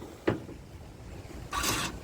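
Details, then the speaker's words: Toro TimeCutter mower after a new battery replaced a dead one and the key was turned on. One sharp clunk then a brief buzzing click as the electric brake engages with the drive-release arms in the locked position. Normal brake engagement. "you hear that sound that's the electric brake engaging when the arms are out in the lock position the electric gauge and brakes engages and when you push those arms in it disengages"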